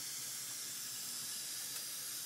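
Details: 2001 Jeep Cherokee Sport 4.0, idling after a 1.5-mile drive, gauge jumping from about 200 into the red; radiator and thermostat already replaced: quiet, steady hiss of steam with no engine beat; coolant leak from a failed head gasket, fixed by replacing it.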